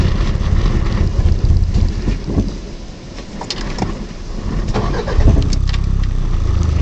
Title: Car won't start